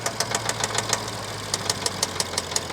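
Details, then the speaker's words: 2015 BMW 650i twin-turbo at Copart, mileage unknown, low on fuel: fast, sharp metallic ticking about six a second over a low idle hum just after starting, a loose, rattling timing chain; engine shut off quickly. "yeah I think that's the timing chain I don't think that's a nice sound at all so we're going to turn that off before something goes bad"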